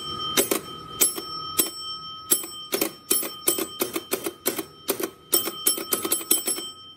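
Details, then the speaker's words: 1948 Bally Carnival pinball machine under restoration, after fixing a short: hold relay on without blowing a fuse, bumper pushed; sharp relay clacks each ring the bell cleanly in irregular bursts about every half second. Lights still not working. Normal relay and bell operation. "hold relay on. I can hear it, it's on. And it hasn't blown a fuse."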